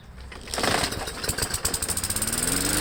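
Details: MTD mower engine with no oil drain plug, cold start after its carburetor was removed and cleaned, before an oil change: pull-start catches quickly and settles into an even, steady popping beat. Normal cold start.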